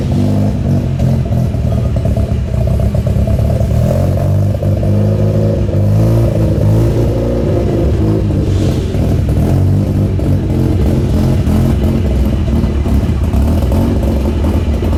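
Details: Mazda RX-7 FC3S Turbo II rotary on its new welded stainless exhaust with the cat deleted, trying a launch. Deep, loud exhaust drone rises and holds hard under load for about fifteen seconds; pulls clean with no misfire; normal launch.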